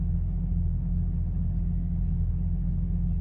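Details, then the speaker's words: Jeep XJ project, just passed Colorado emissions with no check engine light: deep idle rumble that surges and sags rapidly; idle still fluctuating, cause not pinned down. "um the idle's still a little funny it moves it fluctuates pretty rapidly um i guess and i could show you guys so i don't know if you guys can see it"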